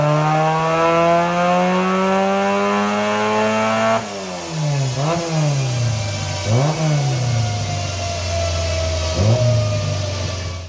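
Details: Skoda Felicia rally car, Polo GTi ARC engine on throttle bodies, rally exhaust, straight-cut gearbox, dyno run recorded from the rear/exhaust: note climbs evenly, then revs fall away and stumble in uneven dips under load, flat spot; cause unconfirmed.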